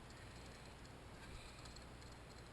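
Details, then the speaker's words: Toilet tank refilling through a worn fill valve: steady rushing hiss over a low rumble, pitch unchanged throughout; owner unsure whether it leaks, and the noise is fixed by replacing the fill valve. "yeah you can hear the noise here so i'm going to try to change out this part with this part here even though the cover is red color versus this black color and i'm hoping the noise will stop"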